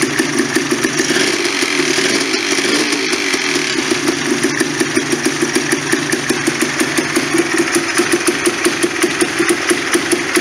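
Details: Polaris Sportsman 400 single-cylinder, after a head gasket blown by earlier backfiring, a new throttle cable and a carb boot: quick, steady putter with even firing and no pops or backfires, a normal idle.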